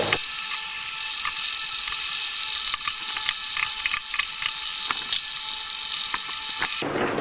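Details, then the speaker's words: Yamaha Vega Crypton engine during reassembly, turned slowly by hand: rough, non-smooth ratcheting clatter from the balancer gears, whose gear lash is too loose. "kalian bisa dengerin suaranya ya di sini enggak smooth ya suaranya itu suara dari balancer ya dari gear-nya Jadi celahnya terlalu renggang"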